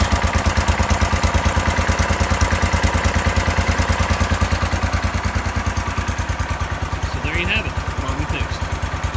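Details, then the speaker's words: 1970 John Deere 140 garden tractor, fuel starvation fixed by pressurizing the gas tank: single cylinder thumps evenly at a slow steady idle, roughly 250–500 rpm, with no misses. Running normally. "Gave it a little bit of pressure, and it fired right up. Idling it like, I don't know, 250 RPM, 500 RPM, something like that."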